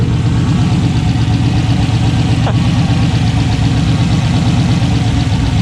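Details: 6.0 LS turbo engine swapped into a budget Foxbody, first start, untuned: loud, deep idle with an uneven, loping pulse that never smooths out; one cylinder isn't firing, running on seven cylinders.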